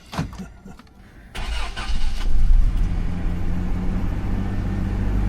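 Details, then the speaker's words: Rebuilt classic Toyota 4x4 engine on a cold morning: cranks briefly, catches and settles into a steady, even idle with no stumbles, no cold-start misfire despite an aftermarket head gasket; exhaust smells a little rich. "No cold morning misfire."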